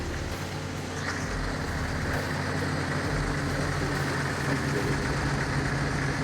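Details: Jeep XJ first start after replacing the exhaust manifold, gasket and downpipe. Even, steady engine drone with no ticking or puffing at the exhaust side; starts and runs smoothly.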